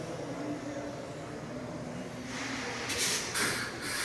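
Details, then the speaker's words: Truck air brake test, primary tank empty, secondary tank full; low idle then sharp air hiss bursts as the rear-axle brakes apply from the secondary tank; brake system working normally. "again you hear that and we have no air in the primary tank which controls the rear axle on this vehicle so the air is going through the valve from the secondary tank and applying the brakes on the rear axle so we know that that works"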